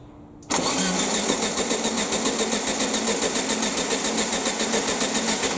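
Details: Air-cooled VW Baja Bug parked 20 years, fed from new hose and fuel canister, not the tank: steady starter cranking about three to four beats a second, never catches; fuel present, no spark found, plugs to be replaced.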